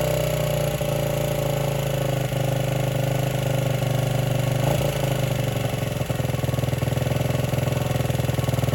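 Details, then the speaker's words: 1978 Honda XR75 single, first run since about 1989 after restoration; uneven hunting beat never settling to a clean idle; would not idle or drive well, low on power; timing and compression checked; cause was carburetor needle clip in wrong position. "so the reason it took a few weeks is that I had a runability issue it just would not idle or or drive well it was low on power"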